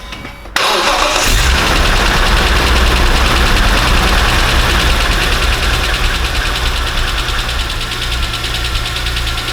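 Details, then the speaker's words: BMW E46 M3 S54B32 first start after new timing chains, guides, tensioner, VANOS rebuild, oil pump, rod bearings and water pump: runs lumpy at first, settling as fuel washed in during cranking burns off. "okay it's it was little bit rough because of the initial crr cup because it was sprad some fuel inside and until it burns out"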